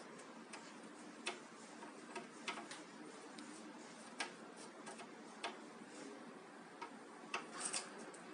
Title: Eg-Evkin cf-052 bad bearing cup